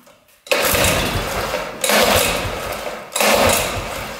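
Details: 1960s Ski Daddler snowmobile, two-stroke: three short raspy bursts each fading within about a second; runs only on gas poured into carburetor, none reaching it from the tank; missing tank fuel pickup line.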